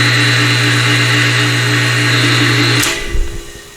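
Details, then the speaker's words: Porter Cable Jetstream 60-gallon air compressor, nearly 20 years old, 5 hp motor that earlier smoked and glowed while compressing: heavy, rough hum with coarse buzz for about three seconds, then cut off and wind-down; burnt motor windings. "Didn't let smoke out, but it does not sound good, and if I ran it any longer, it would let smoke out."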